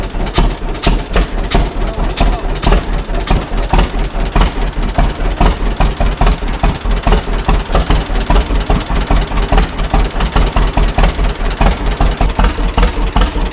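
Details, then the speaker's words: 1936 John Deere Model A two-cylinder, first start after 3 years sitting, new plugs, sanded points, new cap, choke on, carb not rebuilt: slow, slightly uneven putt-putt; carburetor needs adjustment, float sticking suspected. "That almost sounds good in a way but I'm not sure."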